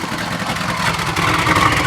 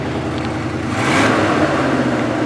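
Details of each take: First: Box Chevy Caprice Aerocoupe lowrider V8 at idle, recorded at the exhaust: raspy loud rumble with spitting hiss from multiple exhaust leaks, a torn-up muffler with a hole, and a broken exhaust mount. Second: 1979 Chevrolet Caprice Aero Coupe after repairing a bad freeze plug, just started: engine swells through two clean revs and drops back, even with no misses, knocks or rattles; running smooth and leak-free.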